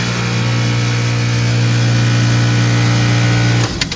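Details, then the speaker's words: Hallowell Acadia heat pump during fall maintenance, primary-two compressor contactor pushed in by hand, unit slightly shaky from an attachment on top: steady, smooth low hum that cuts off cleanly; the compressor stage runs normally. "my system is a little rough it's it's got a uh unit attached to the top of it so it's a little shaky but it should all sound pretty smooth on Startup"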